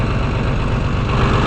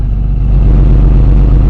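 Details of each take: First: Engine with choke fully in, not quite fully warmed: low, even idle with a steady beat, no ticking or misses, little engine movement on worn motor mounts; valves may still need work. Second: Idling engine heard at the exhaust: loud, consistent note with no misses but a raspy, blowing edge from a hole in the primary muffler; a smaller hole in the resonator may show a slight miss.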